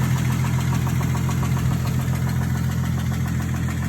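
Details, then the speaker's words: 2012 Ford Mustang 3.7L V6 at idle: a regular deep knock about three and a half times a second, steady and pronounced; owner suspects rod knock, unconfirmed. "Does that sound like rod knock to you guys, or I truly don't know. But I'm thinking it's rod knock. If you ask me, I think it's rod knock."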